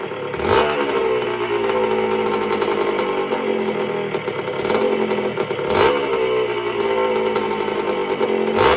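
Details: 1977 Honda CR125M Elsinore two-stroke just after a top-end rebuild (piston circlip had come off), not yet heat-cycled: a crisp ring-ding idle with a couple of clean blips, steady and even between. Normal running.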